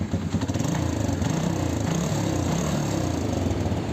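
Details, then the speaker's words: TVS Victor 3-valve single-cylinder after repair fixing a sudden knock and no-start. Self-started, it idles steadily with a smooth putter and no ticking or knocking; normal idle, though the silencer is cracked. "बिल्कुल first class bike को बंद करते हैं एक बार self से start करके दिखाते हैं देखो फर्स्ट क्लास स्टार्ट इंजन में कोई भी साउंड [संगीत] नहीं बिल्कुल बढ़िया साउंड"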